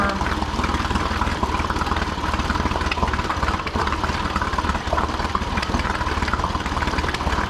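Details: Older Honda BF40A 40 hp 4-stroke pontoon outboard right after fuel line replacement, air pumped out and primer bulb firm, started without choke: steady, even idle with smooth low burble, no stumbling or surging; normal idle.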